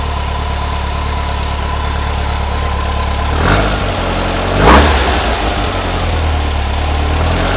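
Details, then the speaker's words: 1970 VW Bus with a brand-new engine, just installed, on its first start. Steady even idle with two clean throttle blips, no knocks or misses. Spilled oil is burning off the exhaust. Normal idle and revving. "sounds good i built oil on the exhaust down there a little bit i think this is where i spill oil on that cost right there it's just burning it sounds so good"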